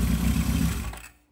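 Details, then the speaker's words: 1978 Kawasaki KZ650 C, revived after years unused, idling after carb balancing without air cleaners: steady even idle with fair mechanical clatter before shutoff; carbs balanced, engine very noisy but running normally. "they've set up really nicely it's very noisy as you can hear but um not a lot i can do with that currently"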